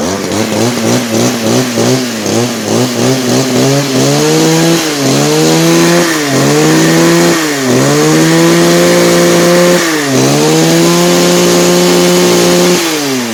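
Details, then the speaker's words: 1997 Echo HC-2300 two-stroke hedge trimmer, after repairing cracked carburettor fuel-mix lines and adjusting the H, L and T screws, revs up in repeated bursts then settles to a steady idle each time; carburettor properly set. "donc voilà une pure réussite"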